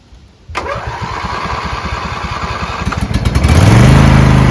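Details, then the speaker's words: Riding lawn mower with a V-twin believed to be about 20 hp, sat unmoved in shed at least 3 months, new 320 CCA AGM battery, about half a quart low on oil: brief crank, catches within a second, steady even idle and clean rev-up; normal start and run. "let's see if it starts up has a v twin in it uh believe 20 horsepower it's a good engine"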